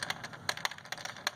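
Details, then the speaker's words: New Ford Ka, heavily vibrating engine: light, irregular plastic ticking and rattling over a quiet engine from completely loose crankcase breather (oil vapour) hose clip in engine bay. "Barulho número 2. Trava do suspiro do motor, do óleo do motor, dos gases do óleo do"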